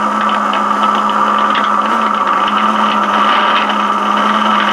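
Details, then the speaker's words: Radio receiver checked with repaired Eico signal tracer: constant hiss with steady hum and irregular crackles and pops through the speaker; noise source not yet located. "can hear that noise in the background I haven't been able to locate that"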